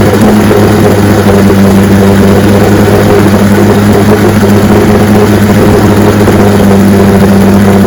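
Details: 1965 75 hp Evinrude Electromatic outboard (owner thought 1963) with electromatic shift, serviced with new water pump impeller and lower unit: steady, even drone with low hum, no knocks, misses or surging; runs like a charm.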